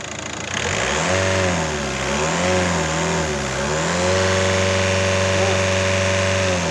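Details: VW 1.9 TDI diesel revved in rising and falling sweeps, then held high with a flat, breathless note and no turbo whistle; turbo not boosting.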